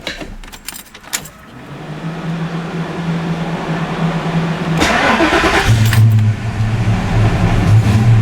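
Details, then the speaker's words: Fox Body Mustang warm restart after the ECT sensor read about 2,500 ohms (spec 2,000–2,800), with new O2 sensors: key jingle, long crank, then a rough idle; slightly better but not fixed, cause unconfirmed. "So that seems like it's pretty much where it should be. Let's try doing another warm start on this thing."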